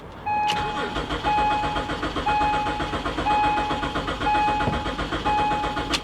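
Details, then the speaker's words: BMW 325ci, 73,000 miles, dirty and sitting at auction: starter cranks several seconds with soft rhythmic churn but never catches; crank-no-start, owner suspects rotten gas. "Well, ladies and gentlemen, I don't think this one's gonna start. Nah. It sounds like it's trying, but I would almost be willing to bet the gas in this is rotten."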